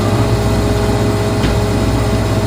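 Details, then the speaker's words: Cornelius ice maker, newly installed, on initial startup: steady low hum with a faint constant tone and no knocks during a normal freeze cycle. The refrigeration freezes water on the coil, a mechanism shuts off the water flow, and water circulates to make ice. "the uh refrigeration's going to uh freeze the the water inside the coil and then there's mechanism moves up and it's going it's going to shut off the water the water flow and then as the as the water freezes down it goes circulates making ice."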